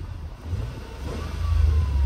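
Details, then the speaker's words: Engine just after replacing the number 2 ignition coil with a Delphi unit: pulls up smoothly with a steady low drone, no more popping or banging from the exhaust; running normally, engine light still to be cleared. "a lot better. Take you to the exhaust. You can't feel it popping and banging anymore, so we'll just get the computer, turn that light off, job done."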